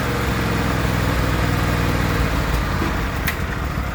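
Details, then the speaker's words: John Deere L130 riding mower after replacing the deck bearing housing for failed bearings: steady, even engine drone, deck spinning smoothly, no knocking, grinding or bearing rumble; repair fixed the issue, normal running. "Yeah, that definitely fixed the issue. Way better."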